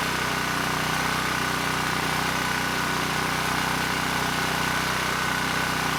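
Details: ETQ 2700 W brushless-powerhead generator after governor calibration: steady even drone at constant speed, no surging or hunting; started slow, governor spring screw driven halfway in to reach 62 Hz, governed speed held properly.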